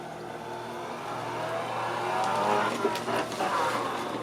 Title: Strange noise coming from Permobil Corpus 500 motor